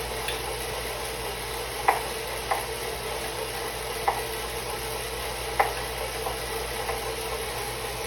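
Sharp single knocks roughly every one to two seconds, not quite even, over a steady hiss; an intermittent knock from the trainer.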